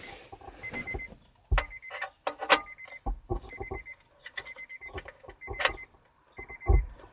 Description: Lately My Subwoofer is making a weird noise! It just sounds like crackling and I just search all over the internet and it doesnt change!